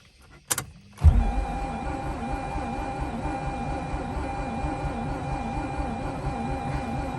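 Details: Mazda RX8 that won't start: starter engages with a clunk, then cranks evenly for over six seconds without catching; crank no-start.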